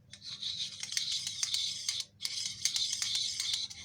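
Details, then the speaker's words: Chainsaw idling with the chain and sprocket cover removed, clutch spinning exposed; high, dry rasping with light ticks, suspected clutch shoe or rear washer touching the drum. Considered harmless if it doesn't hinder running. Cause not confirmed. "ama hep değdiğinde ya da arkadaki pul şuraya temas ettiğinde O da ses yapar ya da açma sesidir bu yani başınız artacak bir ses değildir"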